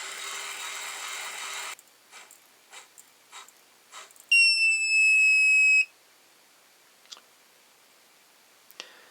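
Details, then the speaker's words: Lyman Gen 6 powder dispenser completion buzzer after hot glue was placed on top of it: steady high-pitched beep of about 1.5 seconds, only slightly quieter and still piercingly loud. "The big deal is the buzzer when it's finished dropping a charge. Let's see how loud that is."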